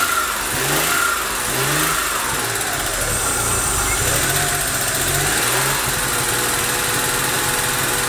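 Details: Daewoo Matiz small engine, towed in, barely started: stumbles and hunts unevenly, beat dropping out instead of holding idle; misfire and unstable running with heavy smoke, cause not yet diagnosed.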